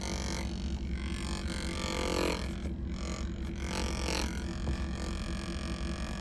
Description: this sound is coming from the air temperature sensor aspirator which is common to fail at high mileage on Chevy/GMC trucks.. Suburban, Tahoe, Yukon, Silverado, Sierra